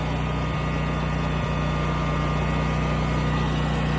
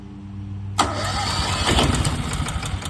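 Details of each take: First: New Westinghouse 20,000-watt portable generator just started after fuel priming: smooth, even drone with steady low hum, no misses or surging; running normally. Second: Westinghouse 20,000-watt portable generator, new out of box, battery connected, oil added: electric starter cranks steadily but never catches; fuel not getting through the system.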